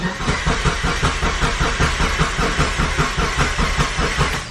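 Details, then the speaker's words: Freshly built Mitsubishi Evo 5 4-cylinder engine with AMSOIL SAE 30 high-zinc break-in oil, cranked with fuel and spark disabled to prime oil before first start: even, strong cranking, about four compression pulses a second, no catches; turns over nicely. "over nicely. Yeah, no, that's good."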